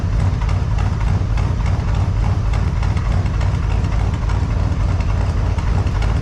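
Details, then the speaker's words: 1978 C10 with a 454 big-block V8, warming up at idle in the shop, in the session to cure an engine tick; deep, even idle with a steady lope and no ticking, valvetrain quiet, tick apparently gone. "don't sound too bad I think we got her"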